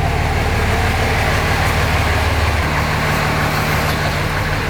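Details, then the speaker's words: 2005 common-rail Cummins diesel in a 2008 Ford F-350 dually, warming up, oil still dripping: loud steady even idle clatter, no misses, knocks or hunting, no smoke; healthy. "Man, she's running good though. It's just so cool that it runs better than it ran in the Dodge."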